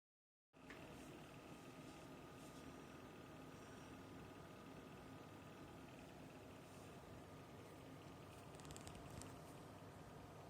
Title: Sunet ciudat din PC / strange noise from my PC